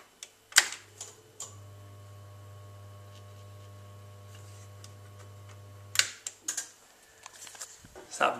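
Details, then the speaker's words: Boiler fan stuck after months of failing bearings: steady low electrical buzz with no rising whir of a spinning fan, so nothing else cuts in and there is no heating; needs a new fan or boiler. "you can hear is the fan that stuck and without that running nothing else will cut in so it's either a new boiler or a new fan"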